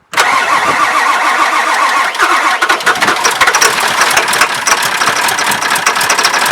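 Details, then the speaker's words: NOCO GB150 jump box over 5 years old, reading 10.5 volts with some charge left but not enough. Sluggish, labored cranking for about two seconds before it catches and runs. Slow cranking from a low battery; truck also suspected of a weak alternator. "this gb150 a truck like this that's still got some juice but it's just not enough juice to to crank it over long enough and fast enough to get it to actually fire up"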